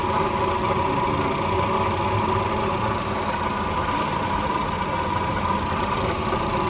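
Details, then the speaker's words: Car at 86,000 km idling after start: steady rough whirring grind with a faint high whistle, like a broken bearing. Diagnosed by sound scope as a worn water pump bearing. "को start करके मैंने complete आपको अच्छे से आवाज सुना दी है कि जैसे ही गाड़ी को स्टार्ट करते हैं तो इंजन के अंदर से अजीब सी आवाज आना शुरू हो जाती है जैसे कोई बेरिंग टूटा हो या कोई चीज डैमेज हो"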